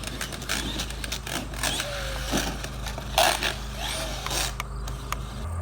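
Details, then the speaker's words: Traxxas X-Maxx RC truck with newly installed spiral-cut diff gears, driving over bumpy ground: sharp, irregular clicks over the motor whine; owner suspects the pinion, spur gear or front diff, unconfirmed; clicking while driving. "go i'm definitely hearing some sort of clicking"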